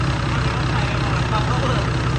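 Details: Hino J08C turbo diesel, 200-plus hp, from a rice harvester; deep, loud, even idle with a steady low rumble and no knocks or misses; runs smoothly and healthy.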